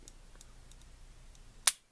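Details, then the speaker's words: Springfield XD pistol fitted with a Powder River Precision trigger kit, reset check: trigger held back, then released slowly, giving one crisp clean click with no grinding or catching; the trigger resets properly. "there should be no grinding or catching or anything you can hear the click and feel it in your finger and then press do that again click there's reset"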